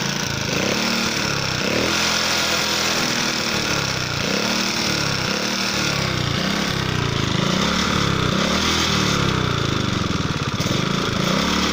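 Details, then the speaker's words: Alfa moped engine that began knocking after being ridden with oil at minimum: runs fast with hard, regular metallic knocking; owner suspects piston hitting a valve, possibly clutch basket or magneto, cause unconfirmed. "Гремит движок, 80% клапана. Поршень бьет об клапан."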